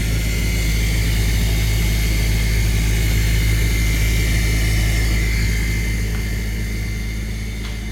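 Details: Maytag dishwasher during wash cycle only: loud steady low droning vibration with rough grinding buzz from pump area, sudden abnormal noise; cause unknown.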